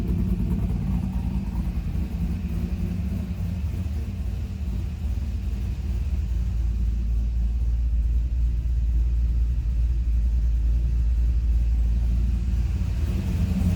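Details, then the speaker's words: C5 Corvette V8 with a BTR Stage 3 cam, idling on a newly uploaded remote tune via HP Tuners after spark plugs and wires were reinstalled, during an idle data log: a deep, steady rumble with a cam lope and no knocks or misses. "Um, I wanted to do the idle tune first or the idle log first, just so that way you can see how it's idling."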